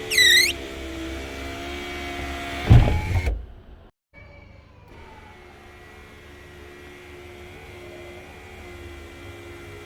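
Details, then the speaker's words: Car sunroof squeaks during travel: motor hums as the glass moves, with sharp high chirping squeaks where it touches a dry hard rubber mount; fix is a very thin layer of grease. "Okay, where did that squeak come from? Here. Okay, it came from here and here. So what you do is you apply a very thin layer of grease, very thin, alright, just to lubricate it, so that when it touches the glass over here, there's a sort of a hard rubber"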